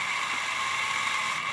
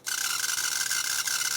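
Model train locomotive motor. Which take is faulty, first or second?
second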